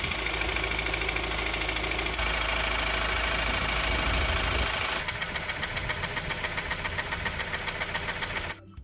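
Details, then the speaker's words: Honda CR-V with early K20 engine, after a long high-speed run held in fourth gear: petrol engine idles with a sharp, rapid ticking, about four a second; owner suspects camshaft lobe galling, unconfirmed. "so when I got to my destination there was an awful awful sound from the engine"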